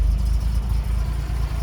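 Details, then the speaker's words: Unrestored 1969 Toyota FJ40 Land Cruiser, 28k miles, stone cold start with no choke after carburetor rebuild, valve adjustment and cracked exhaust manifold repair: low, even rumble with steady pulses and no misses, ticks or knocks. Normal smooth cold idle. "No choke. It's cold. This hums along."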